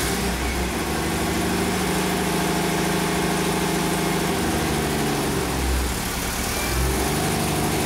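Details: 47-year-old Porsche 914 flat-four with early fuel injection, being diagnosed for a no-start, now running with the cylinder head temperature sensor connected and working: steady, even idle with a light blip, no misfire, stumble or knock.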